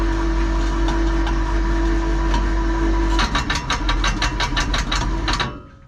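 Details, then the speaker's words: Electric hoist motor lifting two loaded buckets: steady hum turns at about three seconds into rough stuttering pulses, then cuts out, bogging and stalling under overload. "Which it was just, you can hear it failing. So I won't push it anymore."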